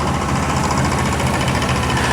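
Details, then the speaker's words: Hood open after about a six-mile drive with AC on, gauge in the green: an old AC compressor, still slightly leaking refrigerant, makes a steady engine rumble with a light, fast, even ticking, a tad louder than liked but normal for an old compressor. "Let's see what the compressor sounds like after it's gone on probably about a six mile jog with the uh with the AC going."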